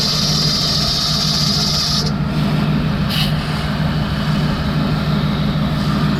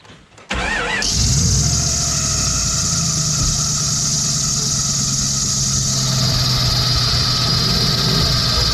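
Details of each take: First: Jeep engine idling after cleaning belt conditioner off the belt with concentrated Simple Green; earlier squeak gone, slight squeak still possible on startup; steady low even hum, no belt squeal, hiss fades early; owner notes slight fan clutch play. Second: Jeep engine idle: loud, piercing, continuous serpentine belt squeal that began after spraying belt conditioner on a belt that wasn't squeaking. Pulleys show no play, and water on the belt stops the sound, so it's the belt, not pulley bearings.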